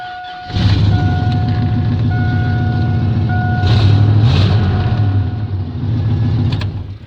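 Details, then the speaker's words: Truck with stock first-gen 4.8 LS V8, cable throttle, low kilometres, not abused: quick crank, catches and settles into deep even idle with door chime pinging; healthy start and idle. "It's healthy."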